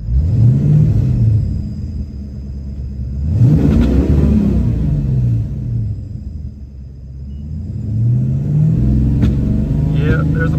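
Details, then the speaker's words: 1995 Ford Mustang GT V8 revved in neutral from inside car; rough surging revs with sharp pops, idle wandering between blips. Plugs checked and distributor cap cleaned, still popping, cause unknown: popping when revving. "pop it's popping a little bit see the RPMs so I I think something's still going on"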